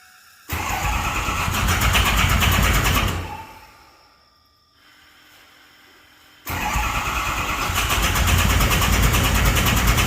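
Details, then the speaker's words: Ford 6.0 Powerstroke diesel, just fitted with a bigger turbo: two long cranking bursts at about 3.5 turns per second, and it never catches. The FICM harness connector was left unplugged or unseated after harness work during the turbo install. "I think I may have forgot to plug something in. This is not good. All right, so we figured it out. Called a buddy, and he said sometimes when you put them in, people mess with the Fickum harness, and that's what it is."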